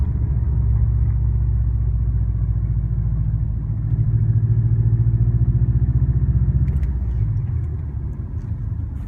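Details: Warm 2004 Subaru WRX stage 2 at idle, 150 psi compression, 5-10% leakdown, no oil burning: low rumble with soft regular puffing pulse; suspected piston slap, actually cracked up-pipe flange leaking exhaust.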